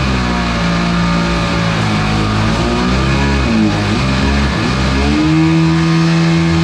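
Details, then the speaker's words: Single-seat aluminum mini jet boat powered by a Kawasaki 750 jetski engine, on its on-water test run in ice-cold weather after the exhaust was cleaned out: the drone climbs and sags unevenly and never settles into clean power. It is still running poorly under load. "the waves are not at all helpful for testing it is ice ice cold out I'm done it's not running right so I'm not gonna"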